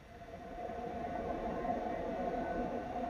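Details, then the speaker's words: PC power supply (SMPS) fan modded with a switch between 5 V silent mode and 12 V gaming mode, here in gaming mode: a steady, fairly high-pitched whir holding an even pitch, fan spinning normally at full speed. "And turn it into gaming mode. Wow, you can hear the difference. Silent and turning into gaming mode."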